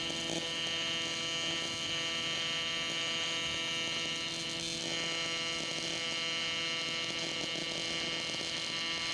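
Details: Miller Dynasty 300DX AC TIG welding aluminum during a beginner's practice with filler rod: a steady, even, high buzz without breaks or crackle; a normal, stable AC TIG arc.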